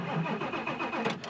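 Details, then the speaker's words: 7.3 Power Stroke diesel: brisk even starter churn with regular compression pulses, no grinding or clicking: normal cranking. "and the engine should crank over"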